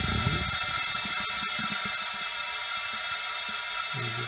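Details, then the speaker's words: Honda ST1100 Pan European leak-down test via modified spark plug adapter: steady rhythmless airy hiss, slightly louder than previous cylinder; air leaking past piston rings into crankcase. "le bruit m'a l'air d'être un petit peu plus important que le dernier cylindre que je viens de faire"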